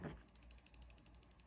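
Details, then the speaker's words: Samsung Galaxy S20 FE shaken with camera off: quick light ticking rattle, about fifteen clicks a second, from the unpowered camera stabilizer; normal. "Once you turn on the camera the stabilizer of for the camera has some electric magnet that stabilizes the image so now with the camera off"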